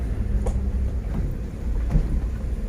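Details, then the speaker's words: Isuzu Trooper driven over potholes after fixing a long-standing cabin squeak: low road rumble and soft thumps, no squeak or creak, only a roof box tapping; no body squeak over bumps. "тест на скрип из полно ям и обычно в этом месте всегда жутко все скрипела замечательно перед тишина"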